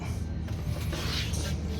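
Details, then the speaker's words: Newer Trane commercial rooftop package unit, warehouse: rough, uneven creaking scrape over a deep blower drone; the blower wheel came apart and rubbed the housing edge, noise noticed after filter change, unit shut down. "ain't got nothing left so that's why it damaged everything it was trying to sit there and run wheel came apart and rubbed The Edge until"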